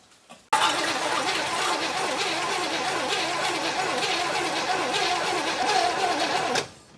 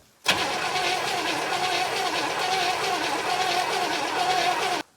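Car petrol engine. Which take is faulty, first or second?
second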